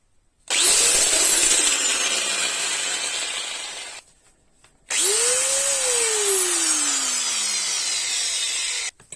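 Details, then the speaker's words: Bosch angle grinder spinning up twice with a harsh, rough high-pitched whine from a worn gearbox bearing, identified as the source of the weird noise; fix is replacing it with a 608 ZZ bearing. "In this video, I will show you who is responsible for the weird noise produced by the angle grinder."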